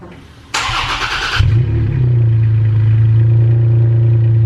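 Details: Toyota Tacoma with an MBRP aftermarket exhaust, cold start heard from outside: starter whirs, engine catches and flares, then settles into a steady deep throaty idle with no knocks or ticks; healthy cold start.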